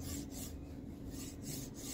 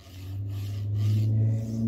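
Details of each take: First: Formbot Vivedino MGN9H linear rail block on Voron 2.4 3D printer, after reinstalling balls into the race: even, soft rasp sliding with no grinding or catching; weird noise gone but block feels loose, no preload. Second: Formbot MGN9H linear rail carriage on a Voron 2.4 R2 3D printer kit: smooth when loaded on one side, steady low rasping growl when loaded on the other, like damaged balls grinding in the block; replacement block later removed the noise.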